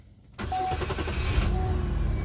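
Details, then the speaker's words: 2002 Chevy Malibu brought in for crank-no-start, suddenly starting during a spark check with nothing changed. Short crank, then it catches and runs; the intermittent no-start cause remains unknown. "and there it goes yeah I don't know what's going on with this car this sucks I didn't change anything I didn't touch or anything"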